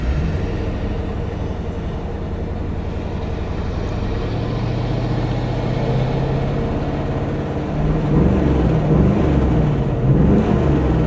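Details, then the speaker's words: C4 Corvette driving after breakdown, idling poorly, no check engine light, no smoke: engine drones with uneven stumbling pulse over road rumble, possibly misfiring throughout the rpm range; owner suspects lost spark; engine misfire. "Actually, it seems like maybe it's misfiring throughout the RPMs. Are we losing spark somewhere?"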